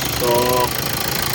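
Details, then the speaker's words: 2014 Hyundai Santa Fe CRDi diesel after timing chain components replaced to fix knocking; even diesel clatter at steady idle with no heavy knock, knocking gone: normal diesel idle. "So normal na yung andar niya. Hindi na siya malagatak dito. So yung tunog na yan, normal na lang yan dahil CRDI siya tapos diesel."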